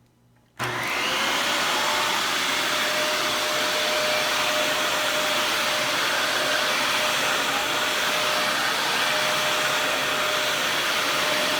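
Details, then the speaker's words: Dyson DC41 vacuum, trash find with replacement used cord and new dust bin latch, running: high steady rush with a thin constant whistle. Air leak suspected near a gouge in the bottom part by the dust cup; unconfirmed. "I don't know if the camera picked that up or not, but there is an air leak of some behind. It might be due to the uh that gouge that's sinking into the bottom part where that dust cup I showed earlier"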